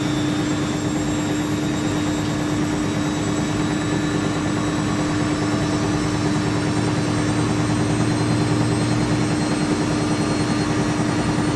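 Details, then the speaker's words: Siemens IQ300 WD14H320GB/02 washer dryer (7 kg wash, 1400 rpm max, sold as "spinning gets noisy") on a Cottons 90°C cycle, spin ramping from 500 to 800 RPM: smooth steady hum with slight rattle from the top-mounted dryer duct; healthy spin. "Just expected, there's nothing wrong with the machine though. So that's 500 RPM. We've got to 800 RPM."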